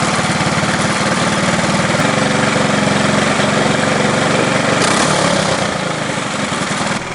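Loud, buzzy kart engine holds a steady, even high idle for several seconds with no misses or knocks; sounds healthy.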